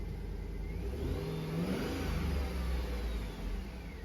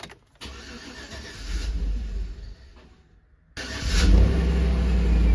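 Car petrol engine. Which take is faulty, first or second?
second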